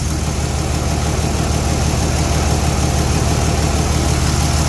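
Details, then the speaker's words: 2003–2007 5.9 Cummins common-rail diesel after reinstalling injectors, heard at the homemade air intake/airbox: steady, even idle with a deep smooth pulse and no thumping or miss; normal idle, sounds fine. "it sounds fine so we're going to let it run for a minute and call it good"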